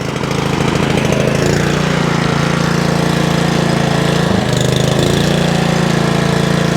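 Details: Honda Pro Kaaz Lawnflight mower after gearbox repair, first pull start on choke: steady single-cylinder beat around four firings a second, even and unbroken, no misses or knocks; engine runs healthy.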